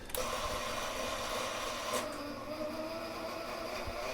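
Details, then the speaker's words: 1960s Hammond M101 organ tone generator, long unused, after adding oil: now engages immediately on start but still a steady rough whirring hiss with faint whine, noisy like a sick cow. "um at least when I hit the start button now it's engaging right away still sounds like a sick cow"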